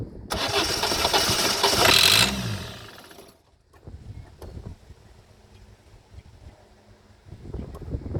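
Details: 2008 Citroën Nemo van, no-start: starter cranks about two seconds without catching; mechanic suspects no fuel reaching combustion, possibly blocked fuel filter; not confirmed.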